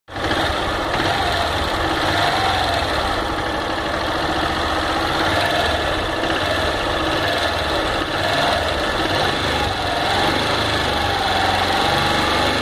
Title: Fan 160 com barulho no motor